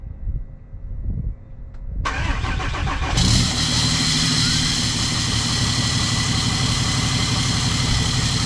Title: 6.7 CUMMINS COLD START! do we hear a misfire???